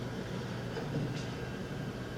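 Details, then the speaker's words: Small 5 V cooling fan added to a restored Commodore VIC-20, own supply drawing about 200 mA, mic very close to fan: steady airy hum with low even drone, no ticking or rubbing; a bit noisy close up, barely audible from seating position. "is really up close to the fan that's a little bit noisy but from a normal seating position you can hardly hear it it's like ambient noise in the background"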